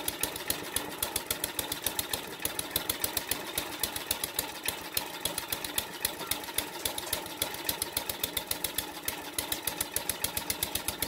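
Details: King O Lawn edger, 2 hp horizontal-shaft single-cylinder engine after carb clean, rejetting, oil and air filter change, choke on; popping along at a quick, fairly steady beat, a little uneven, normal running.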